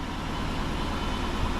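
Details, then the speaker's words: 2009 Dodge Charger R/T 5.7L Hemi at 185,000 miles, idling after its first tune-up (new spark plugs, valve cover gaskets, PCV valve): smooth, steady V8 rumble, not skipping, knocking or clacking. Normal idle. "Sounds good. It's not skipping, not busting up, not knocking, clacking,"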